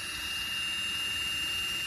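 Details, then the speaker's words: 2015 Lexus NX200T electric parking brake, actuator reconnected with ignition on and brake applied: steady, even high-pitched motor whir for two seconds without strain. Normal actuator apply. "trigger the parking brake key on and then trigger the break all right just wait until the actuator is"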